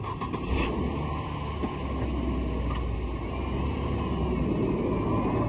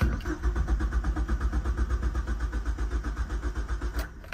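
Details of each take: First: 2003 Mazda Protege5 after replacing a blown 10 amp cabin fuse box fuse that caused a crank no start; steady even engine note with no knocks or misses under outdoor street noise; normal running. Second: 2003 Mazda Protege5 that lost all power while driving; cranks evenly at about four pulses a second but never fires, coolant gauge at H and oil light on; crank no start caused by a blown 10 amp fuse in the cabin fuse box.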